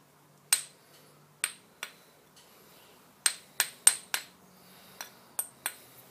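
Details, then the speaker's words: Ring test on a roughly 50–60-year-old grinding wheel for tool post grinding: about ten light taps giving dull, quickly dying ticks instead of a ring, indicating the wheel is not recommended for use. "so we're getting a bit of a dull"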